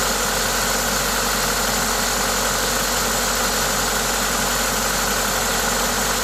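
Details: Toyota 2ZZ-GE engine at idle with an aftermarket induction kit: steady, even idle with a loud intake hiss from the kit, no knocks or uneven beats; normal, healthy engine noise.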